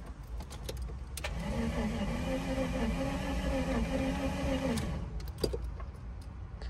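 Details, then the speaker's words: 1999 VW Eurovan VR6, about 180,000 miles, first start attempt after five years parked, on jumper pack: about 3.5 seconds of sluggish labouring starter drone, never catches; slow crank no start, jumper pack suspected too weak. "might not have enough battery it seems like a jumper pack might not work good enough i think we got to go get a battery that thing's not powerful enough"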